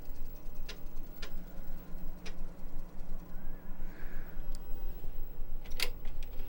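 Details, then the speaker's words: 35+-year-old Commodore Amiga 1000 floppy drive: steady light ticking about three a second as the head steps back and forth without loading. The Kickstart disk won't boot; cause unconfirmed. "Let's see if I can boot. Okay, Amiga's asking for Kickstart. Oh, damn. Not working."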